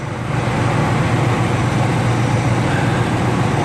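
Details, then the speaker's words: Ford 4.6 Triton V8 after removing a broken spark plug: steady, even low rumble with no misses, ticks or knocks, though a small exhaust leak remains and the exhaust manifold needs work. Normal running. "it should like it was a little rough when I first started now you can see it's real smooth now I mean I got a little exhaust leak"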